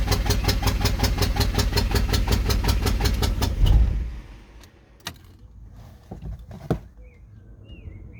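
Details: VW 1.9 TDI PD BXE 105hp/77kW cranks evenly about four seconds but won't fire after new cylinder head, camshaft, lifters and bearings; injectors cleaned, fuel bled, timing locked at 0.0, no ECU errors, exhaust off turbo; owner suspects cam sprocket upside down.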